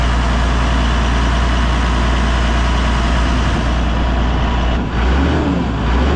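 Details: Massey Ferguson 6480 tractor diesel, idle two years, running after injector pump refitted: heavy, even low clatter at steady idle, no misses or knocks; running properly.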